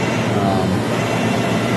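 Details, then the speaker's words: CNC machine with DC servo motors on a Centroid Allin1DC control during PID tuning: steady, buzzy whine at one pitch through a rapid axis move, just gear mesh vibration with no control oscillation. "um hear that whing and the gears over there that's why I don't want to take it up yeah yeah [Music] light the only vibration is gear vibration there's no control oscillation in that at all"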